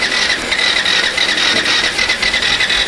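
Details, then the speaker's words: Yamaha FZ version 2 motorcycle cranked with throttle, current cutting out and returning, pickup coil and ECU input/output voltages tested fine: starter whirs and clicks unevenly with no firing; crank no start. "একটু pick up দিলাম, এই যে দেখুন current আসতেছে, কিন্তু start হয় না।"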